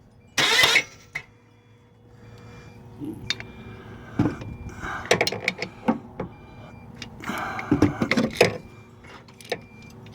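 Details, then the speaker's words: 2001 Kia Rio engine seized, won't turn over: short starter bursts that stop dead with a hard clunk each time; engine binding internally, turns by hand only partly; owner suspects broken piston or rod. "okay now it hits again I wonder if a piston broke all right try it"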